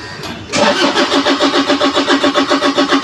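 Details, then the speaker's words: Toyota Hilux that ran earlier: starter turns the engine over steadily at about three and a half beats a second, it coughs but never catches; cranks without starting. "kinakapos parang inubo sige pa One More Time patay starting ito na yung problema sinasabi nilang problema problema"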